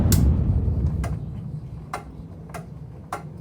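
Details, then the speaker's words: Carrier air conditioner at spring startup after months unused, with broken louvers. Several sharp, dry clicks about a second apart as it shuts off and winds down. Normal relay click at shutoff. "But this thing does work. I can't believe it. Even clicks too."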